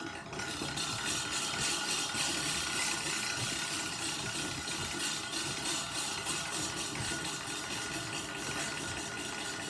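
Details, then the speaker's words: Push reel mower being backlapped, with the reel spun backward by pushing the sprocket by hand as lapping compound is brushed on: gritty hissing rasp with a rhythmic sweep about three times a second, and the sound changes as more compound is applied. "And now listen when I apply more of this. Listen to the difference in the sound when I apply more of this compound."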